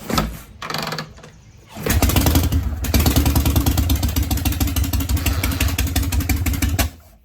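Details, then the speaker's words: 1951 Harley Panhead, kick start with choke after setting point gap and advancing ignition timing. Fires promptly into a loping, even potato-potato idle before cutting off; runs healthy and sounds more advanced. "so it sounds like it's good yeah you can definitely tell it's a bit more advanced"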